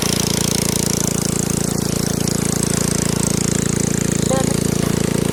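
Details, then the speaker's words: 7.5 hp gasoline engine driving a 6-inch two-inlet water pump on a 6 m shaft: loud, steady drone with an even, rapid exhaust beat from a loud free-flowing exhaust pipe that is not cracked; no rattle or misfire, normal running. "ตัวนี้เครื่องเรือท่อซิ่งเสียงดังแต่ท่อไม่ได้แตกนะครับ"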